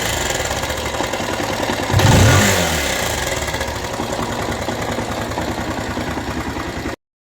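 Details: Rouser 180 motorcycle after long storage, started after cleaning a very dirty carburetor and finding lots of water in the tank: busy ticking clatter at about 220 a minute over the idle and through a throttle blip; abnormal mechanical noise, cause not yet found.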